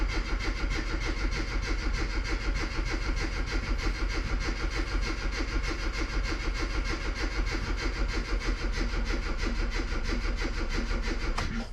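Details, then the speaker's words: Classic Mini Cooper S Sport 5, cranked with the coil disconnected to build oil pressure until the oil light goes out: even cranking at about three turns a second for ten seconds, never catches; normal crank with ignition disabled. "what we'll also do is we will crank it over with the coil disconnected just to get oil pressure before it starts up"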